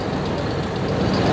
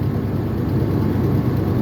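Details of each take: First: 1996 Ford F250 light-duty petrol pickup, after fixing a severe misfire (P1351, incorrect ignition control module replaced), idles with an even, steady low rumble and no skipped beats just after starting. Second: 1996 Ford F250 light duty, 326,000 miles, at idle: deep rough stumbling as cylinders drop out, worse under load; P1351 code traced to incorrect ignition control module.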